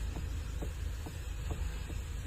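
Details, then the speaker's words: Mahindra Thar ROXX, steering wheel being turned: dull khut-khut clunks about twice a second over quiet idle; loose steering column 14 mm bolt and rack bolt, fixed by thread lock and tightening. "ये देख रहे हो खुटखुट आवाज कर रहा है। तो इसको जो है बिना कोई पार्ट चेंज किए ठीक कैसे करना है?"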